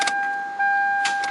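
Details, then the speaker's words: 1997 Toyota Camry with Denso starter: sharp single clicks at the key under a warning chime, no cranking; intermittent, starts about half the time; battery new, connections good; worn starter contacts/plunger suspected. "Sometimes it just clicks, and sometimes it starts. And right now when I just tried it, it worked like 50% of the time."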